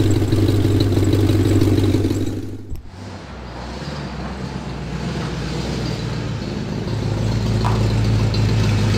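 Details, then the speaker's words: 1986 Ford Mustang GT V8 at idle: deep, lumpy rumble with a steady pulse of about three beats a second; described as a horrible exhaust leak, cause suspected, not confirmed; exhaust leak ticking at idle. "might as well give you guys an opportunity to hear the horrible exhaust leak"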